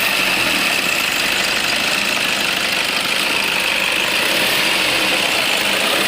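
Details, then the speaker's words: Toyota Innova at warm idle: a steady high-pitched squeal rides over the idle after the engine warms up and grows gradually; spraying water stops it, confirming a slipping alternator belt, which is due for replacement. "थे professor है ना यह जो आवाज है यह alternator band का wallpaper तो इसका आवाज को कंफर्म कर रहे थे यहां पर"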